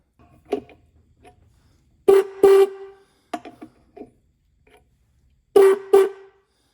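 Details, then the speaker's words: 1950s–60s Ford Mustang high-note horn after rust removal and filing the contact points: two short high-pitched blasts, rasping and scratchy rather than clean. "Not doing too well. I filed the points."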